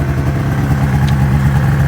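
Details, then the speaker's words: 2005 Ski-Doo MX-Z Renegade 600 H.O. SDI warming up after a cold start, with a new fuel pump, pressure regulator and strainer fixing hard starting: steady, quick two-stroke burble at even pitch, waiting for it to idle down into open loop. "so curious to see how long here it takes for it idles down once it gets up into open loop"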